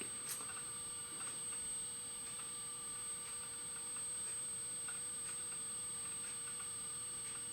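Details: Apple PowerBook 170 rescued from e-waste, quitting Microsoft Word: light irregular ticking of head seeks over a steady faint hum; the old laptop hard drive is accessing normally.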